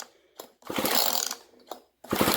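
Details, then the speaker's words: GTI 15T string trimmer recoil starter, two pulls with fast chattering ratchet as rusty starter pawls, freed with penetrating oil, now catch the flywheel cup; normal pawl engagement after lubrication. "those springs are working now. It's just a little chattery thing."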